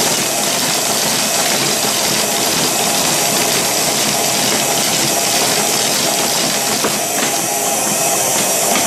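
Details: 1930s Paces Races horse-racing payout slot machine, coined up with a race running: steady hissing whir with light mechanical chatter and a few clicks, an even run with no binding or grinding; race mechanism working normally.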